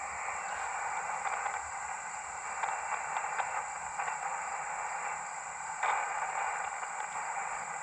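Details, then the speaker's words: Powerwerx solar charge controller on a 3 Ah battery near a QRP ham radio: steady hiss with a fixed whistle and faint ticking; noise sits at S2, rising to S3 when handled or set on the ground; the controller still causes interference. "So again, this solar controller still seems to be having issues."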